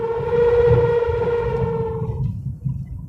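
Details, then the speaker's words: Honda RD1 after new clutch, release bearing and pressure plate: steady high whine over engine fading after about two seconds; owner suspects driveshaft center support bearing or the pilot bearing in the crankshaft/flywheel, will disassemble to confirm. "в общем ещё раз заключение либо подвесной кардана подвесной подшипник кардана Вот либо вот этот вот подшипник который стоит ну в коленвалу получается"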